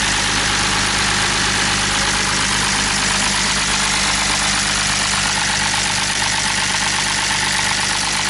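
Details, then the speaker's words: BMW E46 with M54 engine, which ran like this right after doing donuts. There is a loud, fast, uneven lifter clatter over a rough idle and no oil pressure. The nut fell off the oil pump, so the pump lost drive; adding extra oil didn't help. "so I brought it back here and I didn't run it much when it was running like that it just sounded like awful just like the loudest [ __ ] lift or taking the planet"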